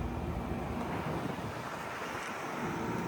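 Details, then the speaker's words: 2012 Frigidaire 18,500 BTU R-410A window/wall air conditioner, almost 14 years old, first spring startup at about 88°F outdoors: steady, even rushing airflow with no knocks, rattles or squeals; still blowing cold, running normally. "410A and it's still blowing cold at almost 14 years old."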